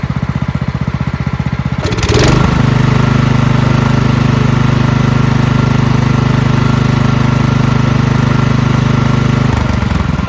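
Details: Marching band hauler single-cylinder engine after carburetor cleaned of red residue and fuel lines, filter and shut-off replaced, on/off flooding test; catches after brief crank, settles into steady even low putter; normal running.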